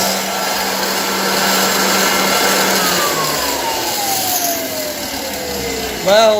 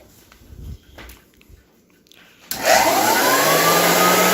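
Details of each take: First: 1923 GE Premier Junior vacuum cleaner on test, motor whining under rough rushing noise, coasting down then restarting; noisy brush roll bearings, quieter with belt removed. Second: 1923 GE Premier Junior upright vacuum cleaner being restored: a few quiet knocks, then a smooth steady motor and fan whir with the belt removed, taking the noisy brush-roll bearings out of the sound; normal motor run.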